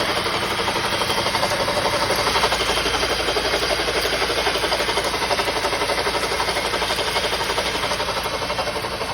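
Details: 2007 Honda 2.2 idling with a loud, quick, even knock tapping about four times a second; cause unknown.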